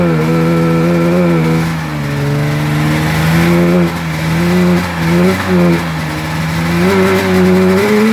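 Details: 1996 Polaris XCR 440 Special twin two-stroke, EC45 PL8 engine fitted with 38 mm carbs instead of correct 34 mm: revs waver, surge and sag without settling, ran like crap; poor running from oversized carburetors.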